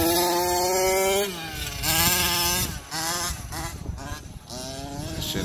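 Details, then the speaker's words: Losi 5T two-stroke during a track run and tuning: the engine revs and then sags unevenly, stumbling back onto throttle; it runs fine cold but bogs once hot, and the carburetor is to be changed. Cause is suspected, not confirmed. "I'm gonna change in that carburetor once it's cold it runs fine soon as it heats up it sucks"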